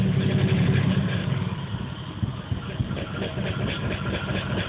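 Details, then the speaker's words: Engine after plug change (old plugs black and gas-smelling), as it ran the night before: lumpy uneven idle with irregular low thumps about four a second, muffler and floor shaking violently; rough idle misfire, later P0300 random misfire code. "see that that's how it was running last night before i did anything muffler's shaking violently you even see the floor shaking"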